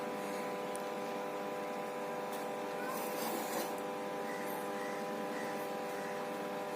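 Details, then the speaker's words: Microwave oven running, opened up: loud, steady, harsh-edged buzzing hum traced to the magnetron — faulty magnetron. "Microwave का आवाज़ इस मैग्नेटन से आ रह"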